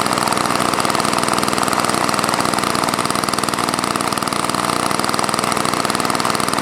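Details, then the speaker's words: Old Toro snowblower with engine swapped in from another unit, primer function uncertain: small engine popping about four firings a second, uneven and hunting, near stalling; started and stopped, still finicky; unstable running. "yeah started and stopped um but it still seems kind of finicky yeah it's wicked old"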